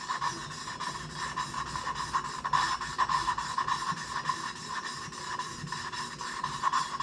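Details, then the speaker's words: 2006 Mazda Tribute 2.3L head rebuild, hand-lapping a valve: back-and-forth rasping strokes under two a second, with the grit now sounding even and smooth; the valve is lapped in and fully seated. "Put some pressure on it. Take the pressure off. And once you feel it just real nice and smooth, can hear the tone of Good."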